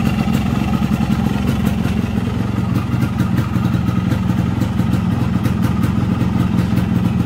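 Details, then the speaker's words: Yamaha RX King 135cc two-stroke after refilling its two-stroke oil with Pertamina Mesrania. A crisp, rapid crackle holding an even beat with no misfire or rattle, and little smoke: the engine runs healthy. "nah ini teman-teman ya suara motornya seperti ini suaranya aman ya"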